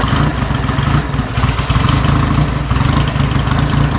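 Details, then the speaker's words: 1949 Indian Scout V-twin during a used-bike shakedown, just after starting: a loose, even low thump settling into a steady idle with no knocks or misses. A rattle is from the battery case missing its strap. Normal idle. "You like what you hear? Yeah, I do. I do. The engine sounds good. Yeah. It does. I'm not hearing any kind of different rattles and things."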